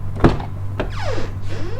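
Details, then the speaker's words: Front passenger door of a 2011 Mitsubishi ASX: door thunks, then the hinge gives two high sliding squeals as it swings; squeaky hinge, to be treated with WD-40. "Did you hear that? The sound is squeaking from the outside to the inside."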